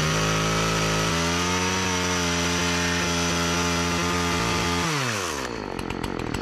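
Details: Partner 405 two-stroke chainsaw after a simple repair (it used to stall when given throttle; owner suspected fuel starvation), cover refitted, cutting very hard almond wood. Steady high scream holding even revs, then dropping off smoothly. Engine runs well, but the chain is very slack.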